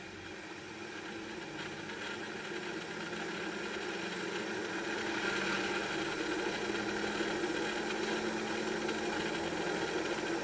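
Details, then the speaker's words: Draft inducer motor on an ECM furnace, running: steady hum with a gritty rumble and fast uneven rattle from a failing 608 ball bearing, later replaced with a double-sealed bearing. "so I've turned the furnace off that's what a noisy draft inducer motor sounds like that has a failing ball bearing"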